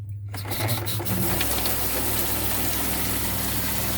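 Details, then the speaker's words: Small 12-volt water pump in a Class B camper running while the sink is used: a steady, low buzzing hum with an even drone and no knocking or rattling; the owner says this noise is normal. "when you use your water pump, obviously it makes noise. A lot of people freak out when they hear that noise, but that's normal."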